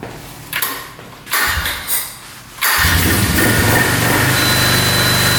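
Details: 2002 Polaris Magnum 325 4x4 ATV, bought as a non-runner needing a carb clean, with spark, compression and fuel to the carb confirmed. Short cranking bursts, then it catches without choke into a steady single-cylinder idle with no knocking; battery beeping.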